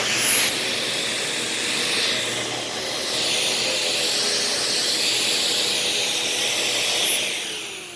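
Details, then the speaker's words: Dyson DC15 upright vacuum: steady high motor whine with extra rushing from the beater bar, which keeps spinning with the machine upright; brush roll not disengaging in upright position. "That brush roll is not supposed to be on while it's in the upright position."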